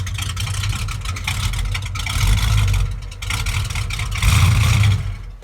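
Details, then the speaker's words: 1969 Plymouth Road Runner, 440 V8 in an originally 383 car, 727 automatic, rebuilt carburetor, new exhaust; cranked right up after days on the delivery trailer: deep burble with quick throttle blips picking up cleanly and settling back; runs really good. "So runs really good."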